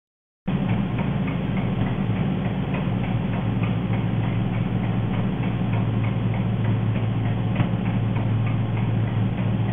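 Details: Engine running on LPG (gas operation): sharp, rapid ticking of several taps per second rides over a steady idle; the owner calls it enormous nailing, cause unclear.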